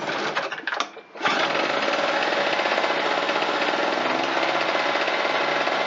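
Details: Harbor Freight Tailgator two-stroke generator after no-start repair (weak spark despite visible spark; carburetor debris), fuel, choke and ignition on: quiet handling, then the engine catches about a second in and settles into a steady, even, busy buzz; running normally.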